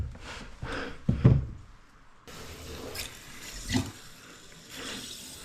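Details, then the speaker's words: First water turn-on of DIY plumbing line from house to a 400 sq ft cabin: gurgling surges of rushing water in bursts as the lines fill; unclear whether something is leaking. Water rushing in pipes. "Dude, all those noises are nerve-wracking. This is... I can't tell you if something is leaking or if that's just I'm like losing my"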